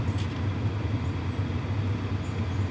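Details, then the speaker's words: WIPPRO diesel heater just after first ignition, glow plug indicator lit, hot air flowing: low, soft, steady hum, with fuel-pump ticking barely audible even up close. Normal running. "Okay, if I put my head right next to it, I can barely hear it. But this is actually really quiet. They said whisper quiet, I believe."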